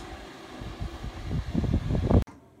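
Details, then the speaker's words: Cheap Chinese 8 kW portable diesel heater for a van, built into a box mounted in a window, running on its lowest setting: quiet fan rush with the dosing pump ticking quite loudly. Normal operation. "I've turned it down to its lowest setting now, and you can hear that it hardly makes any noise except the pump is quite loud. You can hear it just ticking away there."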